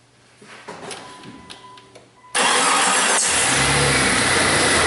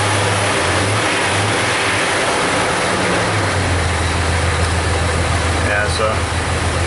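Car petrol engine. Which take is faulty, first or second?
second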